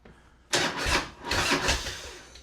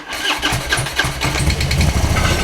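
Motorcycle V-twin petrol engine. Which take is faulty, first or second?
second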